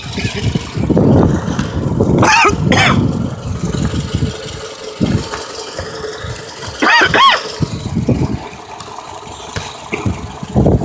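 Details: 2008 Toyota RAV4 that also has an oil consumption issue. The engine catches and idles but stumbles every few seconds with uneven surges, a random misfire.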